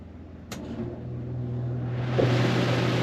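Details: Rear Dometic rooftop AC in an RV, switched to cool after replacing the bad thermostat so the fan now runs in auto. A steady low hum builds as the fan spools and airflow rises evenly; it starts normally.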